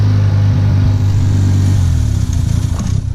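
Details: Mazda RX-7 FD rotary engine at half throttle revs with a lumpy, uneven beat and stumbles as it settles; an open, unplugged vacuum hose is leaking air, and running improved once it was plugged in. Vacuum leak.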